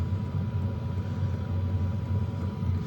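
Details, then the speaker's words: BougeRV portable diesel heater about 6 minutes into its startup cycle, now blowing warm air: steady low combustion rumble with even fan hum, no knocks or surges; normal running. "So be patient, but she will fire up and start blowing some heat. And oh yeah, she's definitely getting warm already. So we're at 6 minutes and she's blowing warm air."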